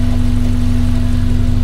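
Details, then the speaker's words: 1982 VW Westfalia running after cooling and fuel system setup: steady mid-pitched hum over an even, low idle. Owner suspects a noisy fuel pump and may replace it; not confirmed. "That fuel pump's making noise up there. I might have to change fuel pumps."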